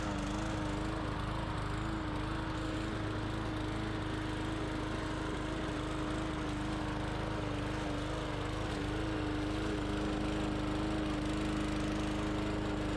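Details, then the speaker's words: Bolens push mower, Briggs & Stratton 125 cc OHV engine, brought in for not starting, now cutting soaking-wet grass: steady, constant-pitch drone with no misses or surging, running right. Some tapping was heard, so the valve specs are to be checked. "we had a downfall last night the grass is soaking wet and this machine went right through it"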